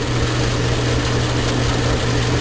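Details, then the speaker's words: Logan lathe taking a heavy full-power cut, 0.020 in diameter, near machine maximum at coarse feed, after gear change idler bushing rebuild: steady deep motor drone, even unbroken tone, pulling down slightly but running smooth; normal. "It's right about max in this machine, and I can hear the motor pulling down a little. But it's running very smooth."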